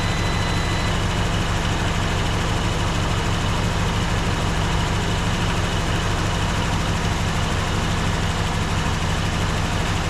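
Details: Warm Poly V8 in a 1954 Dodge Coronet Suburban wagon, first run after 42 years garaged, coolant refilled and not leaking; even, steady idle with a smooth low rumble and no lifter ticking or tapping; engine running healthy.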